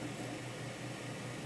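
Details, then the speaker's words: Pioneer CLD-S310 PAL LaserDisc player after cleaning and greasing the drive (problem was dirt and lack of grease): steady, even whir with low hum, no scraping or hesitation; disc spins up, finds track zero and plays normally. "and zero track there we are and we're playing back straight away so the problem with this drive was in dirt and lack of grease"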